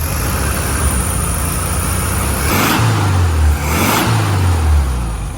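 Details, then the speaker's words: 1967 VW Beetle air-cooled flat-four that had a varnish-filled carburetor, running well: two throttle blips rise and drop back cleanly, firing evenly with crisp response. No vacuum leaks and good power; healthy engine revving. "She's got good power. Very cool. All right, now that we got her running well,"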